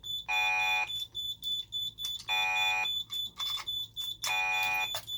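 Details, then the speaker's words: Simplex 3001-9001 alarm panel, fire zone activated: loud siren switching on and off in bursts every second or two, voice driver pulsing from the panel's pulsed fire output, as designed. "Well, voice driver is pulsing, obviously, because of the pulsed output of the panel."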